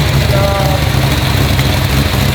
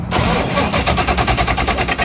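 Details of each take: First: GT40 abandoned for 21 years, just fitted with ITBs and a new transmission, running still cold: a deep, steady, loud V8 rumble holding even with no stumble or miss; normal idle. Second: Ford GT40, stored over 20 years, on its second start after a dead battery. The starter churns rapidly and freely but the engine never fires, with fuel pressure reading max. Whether a TPS reset matters is doubted; the cause is unconfirmed.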